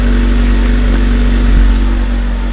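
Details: Nissan Juke at idle just after a worn-out muffler was replaced with a new one: a deep, steady, even idle with no rattle, buzz or hiss; a normal, well-sealed exhaust.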